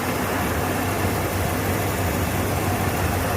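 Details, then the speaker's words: 1992 Ford Bronco, first start, idling through open exhaust: slightly uneven lope, a miss but not a dead cylinder; owner suspects plugs/ignition or vacuum; cause unconfirmed. "Maybe not firing on one of the cylinders, which would explain the miss. It's not running bad enough that I think it's got a total dead miss in a cylinder, but it's definitely not 100%."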